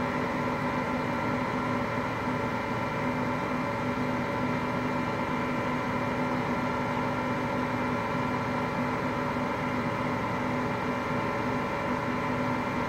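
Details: Hotpoint Aqualtis washing machine, bearings just started to go today: continuous low rumbling roar with a steady hum on top while the drum spins; worn drum bearings.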